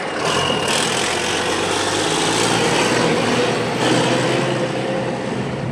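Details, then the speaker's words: Diesel farm machine idling loud and steady with a raspy, puffing roar: the flexible tube from the turbo to the muffler is broken, leaking smoky exhaust around the engine; a new stainless-steel tube is ordered as the fix. "ing the flexible tube that goes from the turbo to the exhaust man or to the the uh Muffler is broke I got a new tube ordered it's stainless steel we'll replace that flexible tube but right now it's just going to be a little smoky mess around the engine which is fine but yeah sounds a little weird with that thing going"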